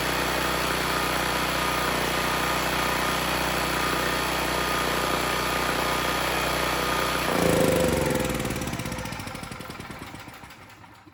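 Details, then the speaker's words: Generac XG8000e generator with a 407cc GH410 engine and clone carburetor, with a light load plugged in: the engine runs even and steady for several seconds, then cuts out and winds down. The engine sounds healthy, but the generator makes no power; the AVR is suspected. "well the good news is the engine started it sounds good the carb is running it pretty well"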